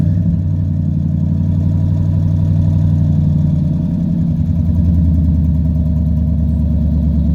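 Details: 1997 Chevy 3500 4x4 dually, 454 big-block V8, cold start at about 21 degrees with frost, foot off the gas: fires straight up and settles to a deep, steady, even idle with no knocks or misses; healthy cold start.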